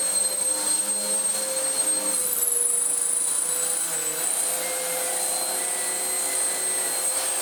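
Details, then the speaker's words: Vax Power upright vacuum with new belt: high motor whine with rubbing, shifting tone as belt rides up and across the brush roll, catches, then throws off; suspected cause of the original snapped belt. "It's ridden the belt up and across to the point where it's now catching, and that now seems to be riding there."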